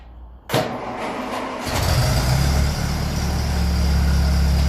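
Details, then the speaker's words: 1957 Ferguson 35 TVO tractor, cold start after penetrating oil down the valve guides: brief crank, then steady, even low idle with no knocking or tapping; quiet, though earlier it grew loud over time. "on so that sounds lovely in quiet it did sound like this before with the last Rock shaft and then it slowly start getting loud so I'm going to get this warmed up"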